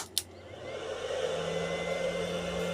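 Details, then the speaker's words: Inverter switched on from a battery for a solar-powered fan: click, then its cooling fan spins up to a loud steady whir with rising buzz, normal for its fast fan. "suaranya memang cukup berisik ya karena kipasnya super kencang."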